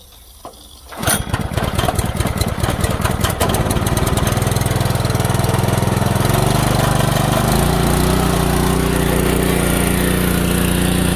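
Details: DeWalt 3200psi pressure washer with a Honda GX200 engine, after a carburetor clean following a year of sitting, water hose connected: pull start on choke catches within a second, sputters briefly, then runs steady and even. Healthy run.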